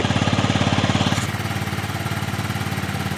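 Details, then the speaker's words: 2007 Yamaha C3 XF50 scooter after installing a replacement fuel tank and flushing the fuel line, left running to try charging a doubtful battery, oil change still due: steady, even putt-putt at about 3.5 beats a second, no misses; normal idle. "But yep, she runs."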